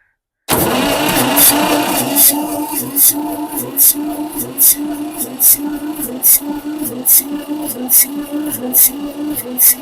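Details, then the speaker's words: 1962 Massey-Ferguson 35 Super Deluxe with a 3-cylinder Perkins diesel, out of gear, uncharged battery: the starter labours at about three turns a second, dragged down on each compression. Slow cranking from a weak battery; jump start planned. "yeah I believe that's what I'm gonna have to do because that battery is getting dead"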